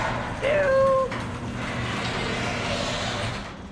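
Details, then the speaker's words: Very old garage door in motion: a sharp squeal about a second long rises over the door's rumble, from worn rollers, before the rollers are replaced. "okay today's project is this really old garage store it sounds"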